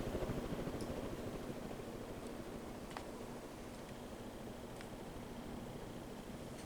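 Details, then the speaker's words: 52" Halsey ceiling fan with cane blades, bedroom-installed: quiet steady whoosh of air, no grinding, rumbling or ticking; earlier bearing noise gone, owner suspects it appears only when bearings heat up; normal running. "Interestingly enough, I don't hear the bearing noise anymore. I wonder if it only gets there when the bearings heat up."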